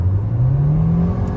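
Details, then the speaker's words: 2013 Nissan Altima CVT after adding transmission fluid to cure a whine, driving hard on a 60 mph road: deep engine drone rising smoothly, no whine; transmission sounds healthy. "So this road is 60 miles an hour, and as you can see, no more whining noise, even though I really hit it kind of hard, and it's doing just fine."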